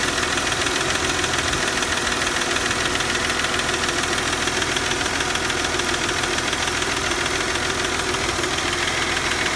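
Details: 1997 Mercedes C240 M112 with 160,000 km, after hard starting that needed throttle to catch, now idles with a steady, regular knock a bit over two per second above the engine hum; cause unknown.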